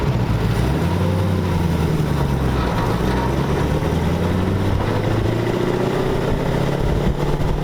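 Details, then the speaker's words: 1932 Ford roadster engine freshly reassembled, water in the cooling system and oil pressure showing about 70 lb: smooth, even drone rising and falling with road speed, no ticking or clatter; insanely quiet, healthy running. "it sounds good seems nice and quiet sure the engine runs is running nice and quiet engine is insanely quiet I can't believe how quiet the engine is"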